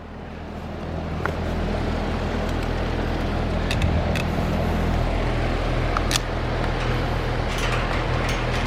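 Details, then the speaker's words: Carrier AC condenser unit, outdoor, indoor blower running, only 1 degree split at the coil: steady low electrical hum that never ramps into a running compressor, with street traffic behind; compressor not starting, bad capacitor. "And you can hear a hum that let me know that this capacitor is bad."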